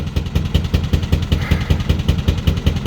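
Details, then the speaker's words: Narrowboat diesel engine cruising on the Grand Union Canal: low, heavy chug with uneven lumpy thumps about five per second and pops from the air intake; running on only two cylinders, grinding down, oil leaking. "he's basically said that i'm operating on two cylinders at the moment so and i can hear it i can hear it it's it's grinding down"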